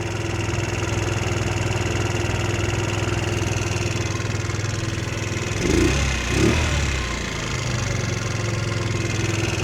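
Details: GY6 scooter after replacing stripped idle speed screw on carburetor and lowering idle slightly: small single cylinder ticking over at low even idle, no hunting or misfire; previously would not start.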